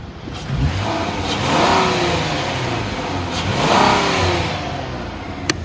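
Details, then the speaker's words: 2014 Ford Taurus Police Interceptor, 3.7 L V6, automatic, AWD, 83,860 miles, run over an hour: engine revs smoothly twice and drops back cleanly, no knocks, misses or rattles; idles smooth, revs up nice. "the motor sounds good I've had this one running over an hour it idles smooth it revs up nice"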